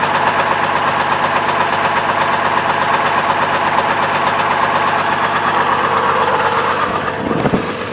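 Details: 2002 Chevrolet Trailblazer idling with belt removed: steady knock about three per second persists without belt, ruling out water pump; rod knock from worn rod bearing.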